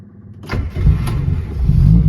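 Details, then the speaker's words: 1968 Morris 1100 MK2 (ADO16), original car, no choke needed on a 20-degree day, fuel pump heard before cranking: brief crank, catches instantly and settles into a smooth, even idle; healthy cold start. "Just quick little reverse up, but the cold start, happy days."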